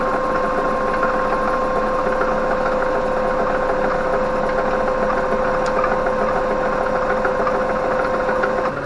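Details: Electric-converted Winnebago LeSharo alternator driven by DC motor under load, alternator measured around 597 rpm; steady even hum with constant tone near 550 Hz, no knocks or rubbing. Normal running.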